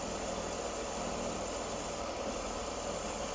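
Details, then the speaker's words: BMW E46 330i running after cold start and breather diagnosis: steady, even idle with a smooth hum and no knocks, misses or ticks; sounds cheery and runs well, normal idle. "it sounds pretty cheery guys you can rev it up a little bit see how she does"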